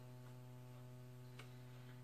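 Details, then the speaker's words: Alesis Sample Pad 4 after a factory repair, mono main output: a steady low buzz with overtones that stays constant regardless of the volume setting; a grounding design issue is suspected, not fixed by the repair. "there's the buzz that's the buzz the buzz I had last time the buzz is independent of the volume so I can turn the volume up and down you can still hear the buzz"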